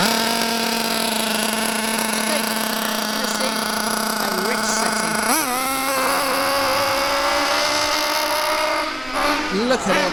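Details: Bio Hyper 7 buggy with a Mach 28 nitro engine, high-speed needle turned counterclockwise to rich: soft, burbling revs, slow to climb, never reaching a clean scream, with heavy blue smoke. It is sluggish and well short of about 40 mph, so the needle is far too rich.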